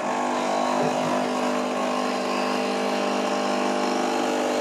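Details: 2007 Nivona NICR610 espresso machine, 16 years old, brew unit running: loud harsh motor groan like a warthog from a worn, seized gearbox; fix is regenerating the gearbox and replacing the drain valve.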